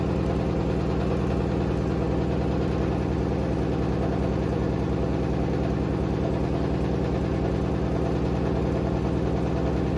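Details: Hotpoint WD860 washer-dryer on spin with a badly unbalanced load: deep, steady thumping about three beats a second under the motor drone as the drum heaves, with a strange noise at the end.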